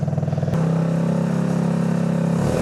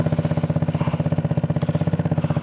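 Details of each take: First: Go-kart test drive after disconnecting the intake snorkel that starved the engine of air and caused sputtering at low RPM: small engine revs up and pulls cleanly with no stumble or sputter. Normal revving. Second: Go-kart with 150cc single-cylinder engine, intake snorkel disconnected, exhaust whose whole back fell off: loud blatty idle with crisp even pulses around ten a second, open unmuffled bark; damaged exhaust.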